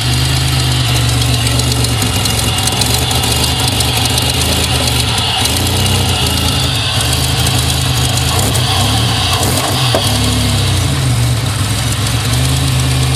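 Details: 2000 GSE on a morning cold start; loud heavy idle stumbles unevenly with injector ticking and occasional backfire pops. The misfire goes away once warm and sets no codes; cause not found.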